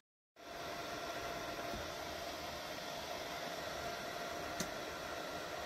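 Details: Ontel Handy Heater Turbo 800 wall-outlet ceramic space heater, a few days old, set to 90, running plugged into a basement wall socket: a steady loud airy whoosh with a faint whine near 700 Hz. The fan is far from the quiet advertised on the box.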